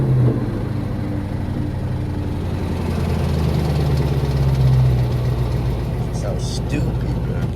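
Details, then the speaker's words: Ford Mustang GT (New Edge) V8 with mufflers still fitted, before straight-piping: lumpy idle with uneven chuffing puffs about three per second over the rumble, a big exhaust leak that needs fixing. "well i'm going to try to see if i could get some driving real quick on the way there but i got a fat exhaust leak man gonna have to fix that bro listen to this bro"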